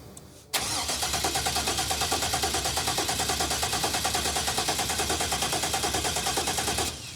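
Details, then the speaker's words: Crank, no start: starter churns steadily about three beats a second for six seconds without catching; fuel relay clicks but the fuel pump is not heard running. "that's disappointing I never heard it pump you heard it earlier though I heard it earlier when there was no gas in the tank but now I don't hear it the pump's not pumping"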